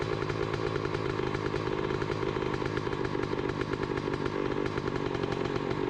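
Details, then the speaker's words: 2007 Honda CR125R two-stroke, just started with one kick: steady crisp rapid idle rattle with no knocking or needle-bearing noise; normal idle. "well that was easy enough one good kick and it started right up doesn't sound bad"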